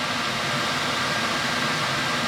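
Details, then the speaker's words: Race truck with newly wired Vintage Air A/C unit: switched on, the front condenser fan and blower run with an even, steady airy rush, no rattles, ticks or pitch changes; running normally. "it's good yeah we're good so yeah you definitely hear it in the front that's coming on"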